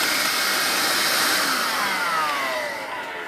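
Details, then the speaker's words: Vax Air Cordless Lift Duo U85-ACLG-B cordless vacuum, fully charged, clean filters, no hose blockages, at full power: steady high-pitched airy whoosh with smooth motor hum, no surging or rattles; running cleanly. "this is basically the machine is in its most powerful form with clean filters"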